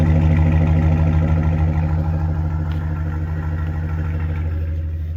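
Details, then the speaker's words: 2010 Ford F-150 5.4 V8, about 173,000–175,000 miles, at idle after a P0303 misfire with flashing check-engine light, fixed by fitting a Ford coil, reconnecting connectors and a missing ground strap; heard at the exhaust, steady even pulse with no misses, running smooth. "Sounds pretty smooth for 2010. And she's got some miles on her."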